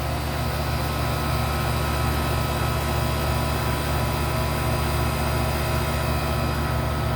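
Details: Seized GE AC condenser fan motor, oiled as a temporary fix with missing bushing pieces; smooth, even low hum with steady whir, no scraping, still running strong 48 hours later; normal condenser fan running.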